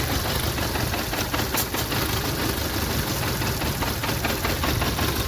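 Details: Idle stumbles unevenly with random dropped beats over a steady hiss on a VW Polo Vivo 1.4 CLP engine; random multi-cylinder misfire traced to a cracked, heat-damaged PCV breather pipe.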